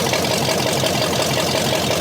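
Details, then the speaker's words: Scrapyard 360 V8 Jeep Cherokee, freshly started after sitting, not warmed up: deep idle with slightly uneven choppy pulse about six times a second; sounds like it might have a cam, all cylinders uncertain. Lopey idle, cause unconfirmed. "It sounds a little weird, But but it almost sounds like it's got a cam in it, kind of. yeah, it does. You know, it sounds like it's got kind of a wicked idle."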